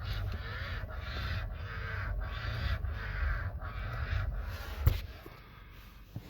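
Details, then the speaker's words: Hyundai Kona steering column: scratchy rubbing bursts, about two per second, come and go as the wheel is turned back and forth. Worn steering column bearing, fixed by replacing the bearing. "today we got this kona there's the rubbing noise see if you can hear it"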